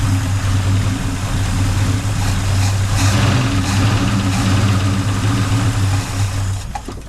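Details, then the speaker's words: 1972 Ford Ranchero V8 first start after sitting, fed from a fuel jug instead of the old tank: deep, lumpy idle with uneven, stumbling pulses; carburetor needs quite a bit of work; 80 psi oil pressure; rough running. "All right, we got it running, so that's a plus. Sounds good. Carburetor needs work quite a bit."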